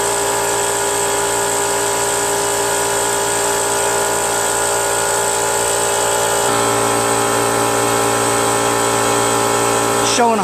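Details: Brute Briggs & Stratton 10-gallon 125 psi air compressor after reed valve, gasket and oil change: pump drones steadily, pitch dipping midway, never stopping at about 125–140 psi despite pressure switch screw adjustment; stuck check valve suspected.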